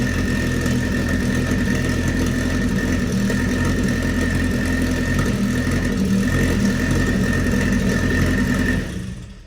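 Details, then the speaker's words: Race car (Scarlet) first start after sitting over a year, following fab work and reassembly: strong, even engine run at a steady speed with a solid low rumble and no knocks or misses; the motor runs and sounds healthy. "well it runs holy yeah well i think it's a good sign that uh the motor runs"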